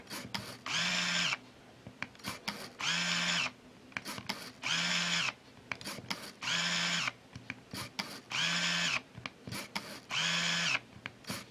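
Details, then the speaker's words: Olympus Stylus Infinity Zoom 115 DLX 35mm film camera rewinding scrap test film: steady high whirring bursts of about a second, repeating roughly every two seconds, even and unstrained; normal film rewind. "and if I were to close this it will continue to rewind and just wait for it to finish up here"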